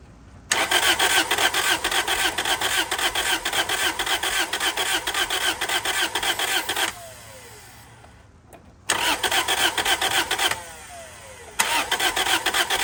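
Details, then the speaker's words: Toyota Celica project car: starter cranks evenly three to four beats a second in two long bursts, engine never catches; crank no start, owner suspects no fuel delivery. "Yeah, I don't think it's getting fuel. I bet you if we spray starter fluid into it, it'll start."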